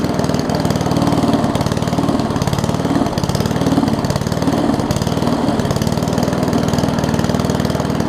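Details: Murray push mower with Briggs Classic engine after gas tank swap and oil top-off, governor spring appears missing: slow, loping single-cylinder putter staying low and uneven without picking up; low idle.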